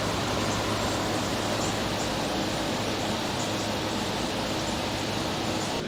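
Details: Air conditioner with a large S-Series Tecumseh compressor, freshly recharged with R22 and producing lots of condensation; no leak found, likely low from factory. Steady airy fan rush over constant low hum that never falters; normal running.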